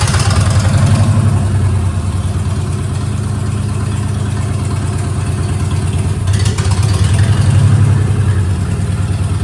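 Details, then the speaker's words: Ford Ranger race truck after EGR block-off, still backfiring: loud low engine with uneven lumpy pulse and wandering speed that never smooths out. Owner suspects it needs plugs, wires and possibly a mass air flow sensor. "So, does run better. Still runs terrible, but but I think I know what's wrong with it. It really needs a tuneup."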